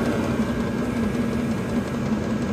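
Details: Chinese 12/24 V diesel parking heater running at full speed on battery power after the glow plug switched off, drawing about 1.6–1.8 A; steady even whir and hum, running normally.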